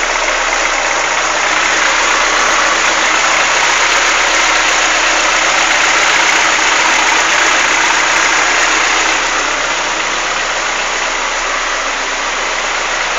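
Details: Chevrolet Monza engine, warm, idling: fast, even ticking about four per second; suggested causes are lifter (tucho) tick or piston skirt slap, cause unconfirmed.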